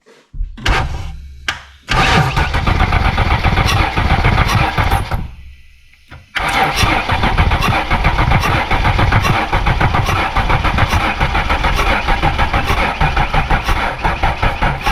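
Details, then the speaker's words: 1995 Ford Explorer engine with a suspected compression issue, cranked with all spark plugs removed for comparison: quick, even cranking, about four pulses a second, no firing or compression drag. "Uh, what I'm going to do is crank it without the plugs in it, and I'm going to put all the plugs back in it. Crank it again. Sounds a little different. Here's without plugs."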